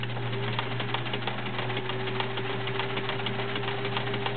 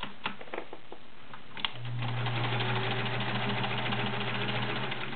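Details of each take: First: Sears Kenmore model 1774 sewing machine, 1.2 A motor, fully oiled, zigzag stitching: rapid busy clicking and rattling over steady motor hum; internals noisier than expected, cause unknown. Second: Sears Kenmore Model 1774 sewing machine, 1.2 amp motor, size 16 needle sewing 12 layers of cotton: steady motor hum with even stitch ticks three to four a second, no labouring; healthy machine.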